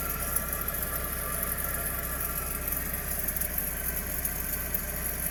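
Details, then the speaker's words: Toyota rear wheel with caliper and brake disc removed, hub spinning free; steady low rumble pulsing about four times a second, noise rising with speed; worn rear wheel bearing. "habiendo retirado ya el caliper y el disco de freno podemos Escuchar aún más claramente El ruido proveniente de este rodamiento"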